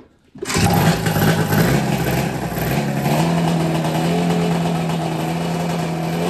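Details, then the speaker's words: Snowmobile drag sled being prepped, first start after installing a JDI ignition, with fuel poured into the carb: it catches almost instantly, blips, then holds a buzzy, steady two-stroke run without misses. It is then shut off; normal running. "guys I just shut it off it's it works you seem to work"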